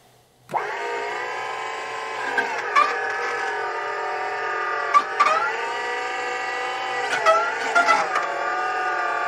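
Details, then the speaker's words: JLG 4x4 diesel man-lift with a completely drained hydraulic system just refilled; pump whine wavers and surges with rough bursts while air bubbles work out of the system. "sounds like we might be running out of hydraulic oil no I don't think so sometimes it takes a while to run all the bubbles out of a system like this that's been completely drained"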